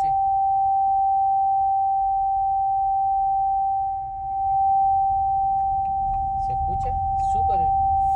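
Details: Haval H6 HEV while driving; steady, piercing single-pitch whine in cabin over road rumble, continuing even with vehicle and A/C off, no warning lights: high-pitched whine, source unknown.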